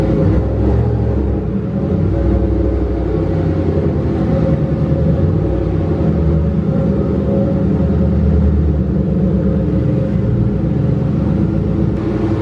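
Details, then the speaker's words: Turbocharged Mustang Bullitt V8 (On 3 Gen 1 kit) after exhaust leaks were sealed: deep steady rumble under load with turbo rush building smoothly, no ticking, spooling below 4800 rpm where it was slow before. "all right guys the car is actually way better I haven't heard turbo noise like that in this car in a long time it's actually spooling below 4800 rpm"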